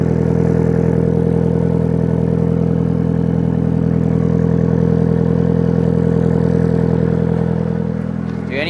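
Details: 1997 Mitsubishi Eclipse GSX, rebuilt engine, stock T25 turbo at 12 psi, balance shaft belt eliminated, AC belt removed: idle with rough regular clatter-grind from the timing belt side; fixes reported as worn water pump bearing replaced, and alternator bearing.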